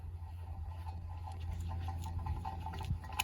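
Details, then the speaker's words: Mazda Miata MX-5 old wheel hub bearing removed during hub knuckle replacement, spun by hand: dry, gritty patter over a low rumble, rough instead of smooth, unlike the new hub; worn hub bearing. "you can hear it, that it has some noise in the bearing."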